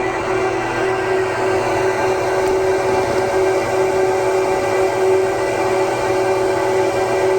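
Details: 2009 Apple Xserve, two E5520 2.26GHz quad processors, under continuous maximum benchmark load near 50–54 °C: loud steady air rush and even fan hum, no rattle or wavering; fans run normally, staying fairly low.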